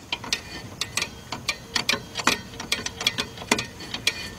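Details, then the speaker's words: 2002 Chrysler PT Cruiser rear drum brakes, new shoes, wheel off: crisp, even clicks, four or five a second, as the star-wheel adjuster is turned to a slight drag; adjuster ratcheting out normally. "now on adjusting these remember you just want a slight drag so you want to get your adjusted back there and then you hear it clicking so I know it's tightening"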